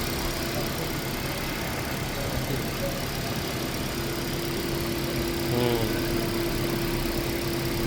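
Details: Toyota Prius repaired for heat warning, misfire and coolant loss, warm idle at about 91° coolant, thermostat opened on time, both hoses hot: quiet steady low hum, no knocks or misses; running smoothly.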